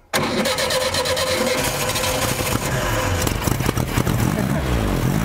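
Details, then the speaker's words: 1975 Volkswagen Shorty bus, sat over 20 years, after fouled spark plugs were pulled and cleaned fires straight away into a steady, even idle with no misses, sounding healthy with only slight smoke. "she is. Amazing what some spark plugs will do. It's amazing what some clean spark will do, huh? Yeah, a lot. We just weren't getting any fire out of them spark plugs, apparently. Right. It sounds pretty good."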